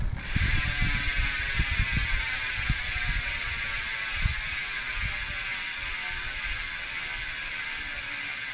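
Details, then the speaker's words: Sondors Rockstar e-bike, new rear wheel with Schwalbe Eddy Current tire, on bike stand: fast crisp freehub ratchet clicking slowing as the wheel coasts; healthy hub after install. "Right, I think I got her. Beautiful. Listen to that hub."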